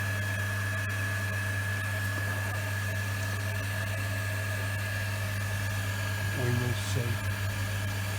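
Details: Workshop rainwater recycling pump on polystyrene stand after repair, running while toilets are flushed: steady low, very quiet hum with faint constant whine, no knocking or surging; healthy.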